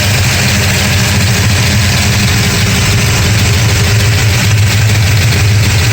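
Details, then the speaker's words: 1969 Dodge Charger 440 V8, still warming up after re-torquing loosened number 2 exhaust header bolts and intake bolts: loud, deep idle holding an even rhythm with no banging or hammering; the intermittent banging appears fixed. "been running for a few minutes now and normally by now we would have had that loud banging noise uh but fingers crossed it looks like it was a loose header bolts on the exhaust"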